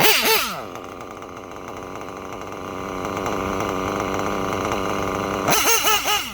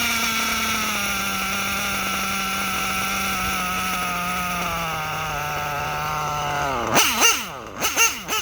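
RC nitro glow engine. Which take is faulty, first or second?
second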